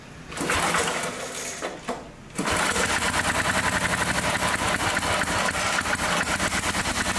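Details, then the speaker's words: 1961 David Bradley Suburban tractor single-cylinder (hard-starting complaint; good compression, new plug) at half throttle: brief pulling, then it catches and settles into a quick, even pop-pop. Starts easily and runs. "happens started pretty easy cuz I remember at the tractor show he was pooling and pooling and pooling and uh finally when he got it started"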